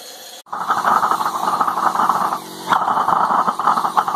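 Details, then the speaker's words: Homemade micro waste-oil forge burner, needle-valve metered oil, pre-heated oil/air mix, enlarged flame tube, first firing not yet fully heated: loud roaring hiss that drops away and returns; flame surges and burner leaks a bit, owner thinks it needs more heat. "it works it surges a bit you know I supp uh and it leaks a bit getting things pretty warm"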